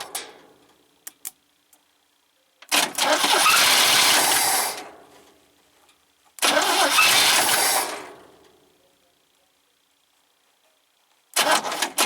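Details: 1971 International Scout 800, AMC 232 engine, BW35 transmission, ignition switch, starter jumped: two long bursts of cranking, never fires; suspects not getting full power to coil. Cranks but no start.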